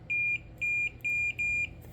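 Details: Four steady high-pitched quarter-second beeps from a multimeter in continuity mode confirming good ground, while troubleshooting starter wiring on Kawasaki Mule repowered with Briggs Vanguard engine.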